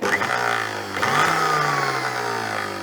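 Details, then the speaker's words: 1970s blender with no safety switch, run through its speed settings: a strong motor hum steps up in pitch with each speed, then holds smooth and even; powerful, normal running. "That sounds pretty good actually. I take it these are all different speeds. That sounds very powerful."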